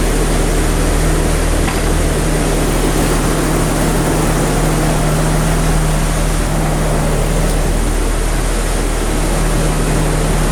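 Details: 1996 Jeep Cherokee XJ, 26 years old, idling after its ECM/PCM was replaced because the old unit's capacitor had melted and it was starting incompletely. A steady, even low hum with no knocks, misses or surging: a normal, healthy idle.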